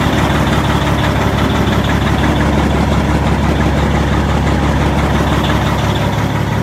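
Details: Diesel in a heavy truck on a dealer lot in cold weather, push-button start: steady, deep idle with an even, heavy chug that never falters; normal diesel idle.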